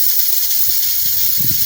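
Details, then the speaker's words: Polytron one-door refrigerator not cooling, compressor off: cutting the capillary vacuum pipe releases a sharp steady hiss of freon, not air, trapped behind a clog; blocked system confirmed. "Ini mampet dan ini berbau freon, Teman-teman, bukan angin. Oke, bisa disimak ya. Ini tandanya kulkas mampat seperti ini."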